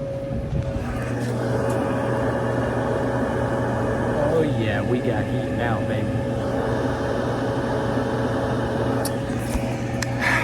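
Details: GE Profile dryer with a double belt tension pulley setup, brought in for not heating (purple wire fault). A steady, even low hum with a constant mid-pitch tone and no scraping or thumping. The drum and motor run smoothly.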